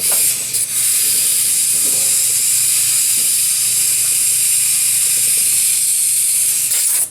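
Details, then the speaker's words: Motorcycle rear wheel tube: loud, steady hiss of air escaping for seconds, then cut off; hard downshift from third to first likely slipped the tire on the rim and ripped off the valve stem. "Oh, well, let's get the air hose on it and see what happened. But I have a feeling when this thing downshifted, I caught it. Ripped the valve stem."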